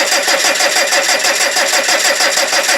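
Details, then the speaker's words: TDI diesel, cold at about -4°C, during a cranking amperage test with fuel leaking from a damaged tank: fast, even cranking that never fires because the fuel shutoff solenoid wire was knocked off. "The answer is no. Oh, I haven't got the wire on the bloody back of the... God damn it, I knocked the flipping wire off."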